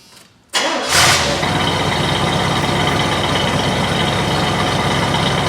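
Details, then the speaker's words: 1972 Chevrolet Monte Carlo with a completely rebuilt, original-block V8, automatic (likely Turbo 400 or 350), factory air: a quick crank catches at once and settles into a steady, even idle with no misses, knocks or smoke. It starts easily and sounds healthy. "You of course heard how easy it starts, absolutely no smoke. The engine has been completely rebuilt, and it is its original block."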